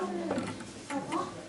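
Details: Smiths Enfield 8-day oak mantel clock, ca. 1930: quiet tick-tock with unevenly spaced beats, a limping rhythm after the beat adjuster was pushed deliberately too far; clock out of beat.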